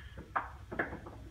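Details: 1997 tank water heater in a North Dallas house with very hard water: two dull thumps about half a second apart in a quiet room; loose sediment knocking inside the tank, needs servicing; water heater sediment knocking.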